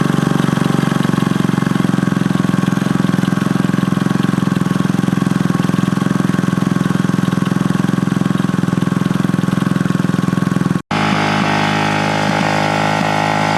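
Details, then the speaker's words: 1967 Honda CL90 single-cylinder, ignition timing set to the F mark: restarted after cutting out during clutch adjustment (idle had been set low), it took off to high revs and stays buzzing without dropping to idle, then briefly cuts; throttle sticking open. "So I said, fine, I'll start it up again. And started up pretty good, but then just took off at the high revs."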